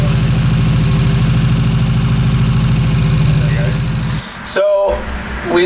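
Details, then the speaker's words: Porsche 924 Turbo that sat for years running poorly: lumpy, uneven idle with irregular stumble before the engine cuts; a cylinder misfiring from a mouse-chewed plug wire with insulation gone, arcing so it does nothing; runs better without the arcing. "this is arcing so this plug wire is absolutely doing nothing you can see the mice chew the hell out of it"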